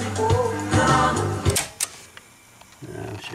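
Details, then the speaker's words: 1989 Pioneer CT-1270WR double cassette deck after running a while: music wavers in pitch and wobbles on held notes. Wow and flutter; worn drive belts suspected, possibly also flywheels needing lubrication. "I noticed after this ran for a while I was getting a lot of warbling uh a lot of flutter so I'm thinking the uh well maybe the flywheels need to be lubricated or those belts need to be placed or both"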